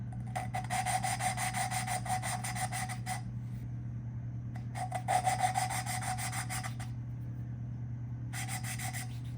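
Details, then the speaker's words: Honda CB360T cylinder head, lapping a valve by hand with a lapping tool: bursts of back-and-forth rasping strokes with a gritty scratch over a low hum; seat still gritty, should turn to a lighter sound once lapped. "can hear that grittiness and it should change to a lighter sound"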